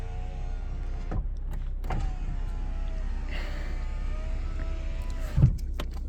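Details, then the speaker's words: 1998 Nissan Skyline R34 GTT, 38,325 km, all original, cold start inspection: power window motor hums steadily for several seconds with no lag, drag, squeal or clicking on driver or passenger side, then soft stop—healthy. "power windows work there's no lagging I don't hear the motor making any noises any clicking from the driver's side from the passenger"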